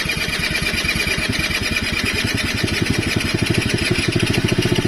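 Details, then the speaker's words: Quadzilla Buzz 50 two-stroke quad after rewiring, spark restored by pushing in a half-taped switch: catches and settles into a fast, even popping beat with no misses; normal running. "And when I took this off, what half taped up and then pushed that in, it was working. So, we'll give it a go now."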